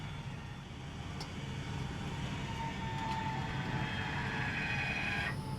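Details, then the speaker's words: Razor automated electric landing gear on a flatbed trailer lowering to the bottom; steady electric motor drone, then brief air hiss as the air suspension lifts slightly, normal landing gear operation. "There, and see, it knows. You hear that little bit of air hiss in the suspension, so it picked it just enough up."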